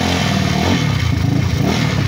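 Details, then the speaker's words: Yamaha Mio scooter (liquid-cooled, 4-valve, owner says 232cc) before reset/refresh: engine is quiet underneath but a fast metallic rattle rides on top, something hitting or vibrating; mechanic suspects the seat stabilizers. "So, sa aking paningin at pandinig, tahimik naman yung makina. Pero parang may tumatama lang kaya."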